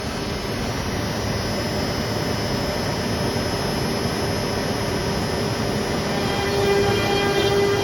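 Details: CNC router with VFD-driven spindle and dust collection hood: even, steady roar of spindle and dust extractor with no knocks or chatter; cutting normally.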